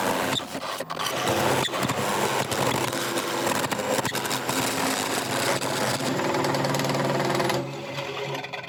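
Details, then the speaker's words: McNaughton coring system used for the first time on a large natural-edge elm bowl on a lathe: a rough, rapid chattering rattle, about four per second, as the cutter is forced through the cut and binds. Coring tool chatter. "right I know this sounds awful but I'm determined to get this through"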